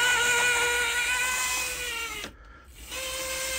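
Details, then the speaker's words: 1980s Hornby APT model, motor in the centre car on track under power: a thin, high, buzzy whine that sticks, drops out and returns, showing a weak motor with a worn armature. "it's really not very powerful at all so uh with all of the other carriages on there this barely makes it round the track"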